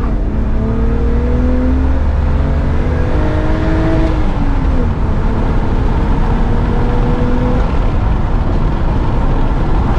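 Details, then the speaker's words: BMW 325ti E46 Compact inline-six driving after a leak was fixed; the sound has changed, with much more intake noise: steady, even engine drone under road noise through the gears, no knocks or misses, normal running. "Ik vind dat het geluid veel is veranderd ten opzichte van het vertrek zeker vanwege het lek wat er was hoor veel meer toelating"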